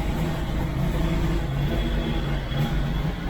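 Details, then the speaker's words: Small-block Chevy V8 in a CJ, just converted from propane to a Holley Sniper EFI with HEI ignition. First run after install, EFI still self-learning: deep, steady idle with an even low rumble and no misses or knocks. "takes a little while for it to learn itself and do all the things that it's supposed to do so uh we're gonna let it idle for a little bit"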